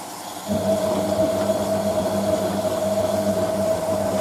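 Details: Hotpoint 9530 Electronic 1000 Plus washing machine on Programme 4 (50ºC Coloured Synthetics), polyester/cotton mixed load, rinse: after filling, the pump starts abruptly with a steady, smooth mid-pitched hum. Normal rinse pump running.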